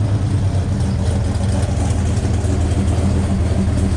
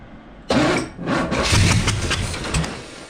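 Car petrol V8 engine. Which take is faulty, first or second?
second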